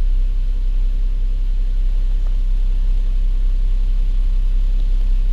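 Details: 2007 Lincoln MKZ 3.5L after misfire diagnosis, keep-alive memory reset done, fuel trims under 5%: steady, even low rumble at idle in gear with no skips or stumbles; engine idling smoothly and healthy.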